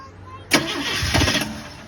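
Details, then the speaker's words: 1977 Impala with new fuel filter and gas poured in the carb: engine catches with a sharp roar, runs about a second, then fades out; no fuel seen in carburetor or filter, fuel starvation. "well it ran for a little bit I don't see any fuel in the carburetor or in the fuel filter though so I'm gonna dump a little bit more gas in it and see if see if anything happens with that"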